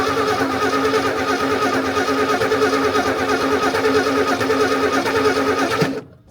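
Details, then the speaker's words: 1964 Ford Ranchero, first start since 1986 after cleaning badly corroded points: fast idle with slightly lumpy beat about three pulses a second, a mild gallop and puffing heard through the valve cover; owner suspects a stuck valve. "If I'm not mistaken, I'm hearing a little little gallop in there. I think we have a stuck valve."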